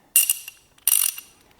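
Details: Socket ratchet wrench before cleaning and greasing: three harsh bursts of loud, rattly, bright metallic ratchet clicks from a dry, unserviced pawl mechanism.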